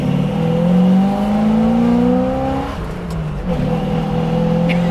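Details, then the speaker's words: 1981 Chevrolet Suburban 350 small block with new AFR heads and cam: deep lumpy V8 burble whose pitch rises and falls smoothly with throttle, no knocks or ticks, a just-right idle; normal idle and rev. "it's got that just right idle like uh you know i'll sit in traffic for you but i got something for you"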